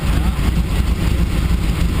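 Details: 6.0 engine in a Blazer running poorly on first start after a lot of work: rough idle with heavy uneven low thumping under loud mechanical clatter; metal in the oil, owner suspects a spun bearing.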